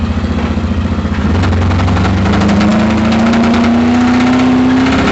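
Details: Camaro V8 revving hard under load at an autocross with rising pitch and rough, rapid knocking throughout; a spun bearing.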